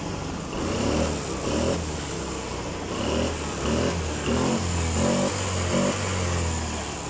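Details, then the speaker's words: Honda Spacy FI scooter, after replacing clogged fuel injector and injector filter to cure stumbling and no power: engine blips up sharply and drops back cleanly, more responsive, no hesitation; normal revving. "Hai ini lebih responsif lebih topjer lebih Tomar kotok"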